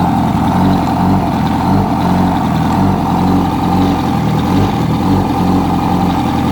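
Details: 2006 Yamaha R1 engine held steady at fairly high speed, dull knock under exhaust note; new updated cam chain tensioner made no difference, noise traced to #4 rod bearing; rod knock.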